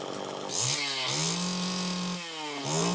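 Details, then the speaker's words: Eric's Super EZ chainsaw, cold start after its clogged carburetor was cleaned, during final tuning: the two-stroke catches easily and revs up smoothly and crisply; it was slightly lean at first, likely from fuel puddled in the crankcase. "but anyway that sounds good it started easily"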